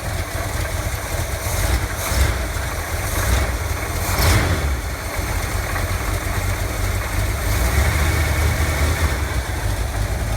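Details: Chevy Cheyenne C20 truck on its old carburetor, before the new Edelbrock 600 cfm carb was installed: low, uneven idle with a wandering beat and stumbles, close to sputtering out. Owner notes it flutters and dies and thinks the lifters sound bad. Rough idle.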